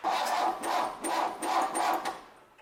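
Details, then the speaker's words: 1966 Chevrolet C20, Chevy 292 six, first start attempt: starter churns in slow, uneven pulses without catching. Owner suspects distributor timing too far advanced. Slow cranking, hard starting. "Alright, I'm guessing my distributor is a little bit too far advanced. I've got it down snug, but I can turn it."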